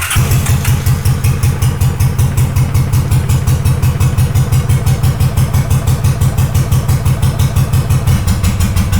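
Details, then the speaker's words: Honda GL500 twin cafe racer project, first start after sitting a long time, on choke with old oil, after wiring loom rework: steady even low thump about three pulses a second, no misses or knocks; normal idle. "So I don't know if you can hear me, but that right there, that's amazing. This bike has not started in a long time."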